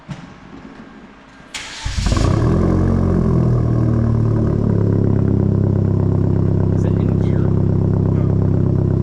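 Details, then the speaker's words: Hyundai Genesis coupe after new exhaust fitted, cold start: starter cranks, catches within a second, settles into steady, deep, even fast idle without misses; cold exhaust may rattle slightly until warm; normal. "sounds good do sound good sounds really good actually want the exhaust get warmed up and then I'll give it a few wraps cuz you know when the exhaust is cold it rattles a little bit"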